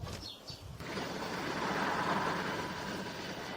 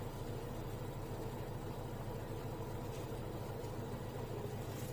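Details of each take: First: LG Direct Drive washing machine WD1239NDK, 5 kg, drum turned by hand: dry, rough hum with faint whine like a car wheel-hub bearing, plus about 1 mm play; worn drum bearings, to be replaced. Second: LG direct-drive washing machine WD1239NDK (5 kg) after drum bearing and seal replacement with SKF bearings, running with a smooth, even low hum, light clicks, no rumble or jumping; running normally.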